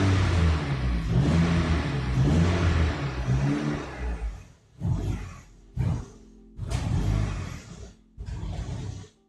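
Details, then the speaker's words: Ford turbo engine conversion swap, running a bit smoky: roars while held on throttle, each blip dies on release, four short bursts; zero idle, cause unknown, idle control valve suspected. "so it has absolutely zero Idol and like I said I have no re reason to understand why that is but otherwise it does run okay"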